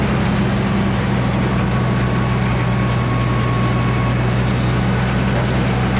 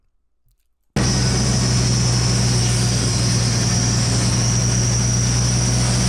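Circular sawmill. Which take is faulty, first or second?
first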